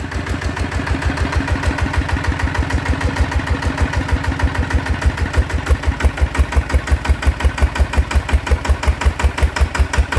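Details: Bluebird small engine after repair (balance weight fitted, original spring): firm, regular firing pulses at a steady pace, no knocking or rattle; runs smoothly and healthy.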